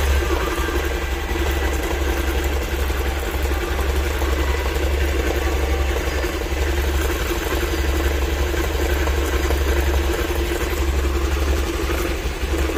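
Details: Honda Activa scooter running steadily with a low, uneven rattle underneath; owner suspects a clutch problem, cause not yet clear.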